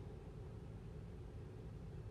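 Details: 2008 Toyota Tundra 5.7L V8, towed in for stalling at hot idle at stops with no codes, after cleaning carbon-fouled throttle body: low, even idle with no misses, stumbles or hunting; MAF about 5.8 g/s, steady throttle motor current; fixed.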